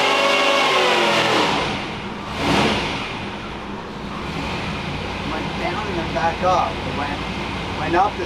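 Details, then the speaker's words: Supercharged Chevy 400 V8 dyno pull at full throttle, reading 744.8 with 12.4:1 air-fuel. It screams at high revs, then winds down smoothly without misses or pops; a clean, healthy pull, fuel good. "That sounded good out the door. Out the window. Yeah, it's 7:45. Good enough. Fuel's good. Fuel's good. Everything is good."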